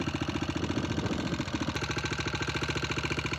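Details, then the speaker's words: Honda XR650R liquid-cooled 650cc kickstart single at idle: sharp, even ticking about three and a half per second over the thumping idle, likely valve train; long-overdue valve adjustment planned to fix it. "Tick, tick, tick, tick, tick, tick, tick. She's a ticking, but we're going to fix starting with some much needed maintenance that is long overdue."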